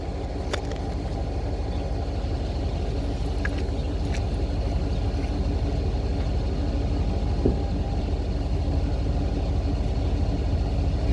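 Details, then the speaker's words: 1993 GMC Yukon started after sitting all winter on old stale fuel, with a new sending unit: once running, smooth, steady low rumble building evenly on revs, no knocks or misses, water blown from the exhaust; runs healthy. "There we go. Sounds good. Runs amazing."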